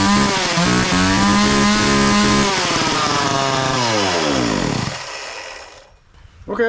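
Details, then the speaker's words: Homelite 240 chainsaw running again after a no-start fix with a puff of starting fluid (not the carb): steady two-stroke buzz for a few seconds, then winds down and stops; carb may need slight tweaking. "maybe it's working just fine all right well uh sounds like the carb needs to be tweaked a little bit but uh I'm going to say we solved the problem for now"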